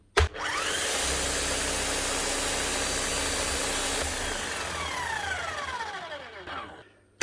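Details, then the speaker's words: Bosch GSH11E demolition hammer, made 1999 (25 years old): motor spins up to an even, steady whirr and winds down cleanly, no rumble or grinding; motor bearings sound healthy despite the hammer not working, so likely just needs a service. "sounds smooth enough this end normally whenever the hammer goes needs a service you'll have bad bearings or something as well but it doesn't sound like there's anything wrong down here"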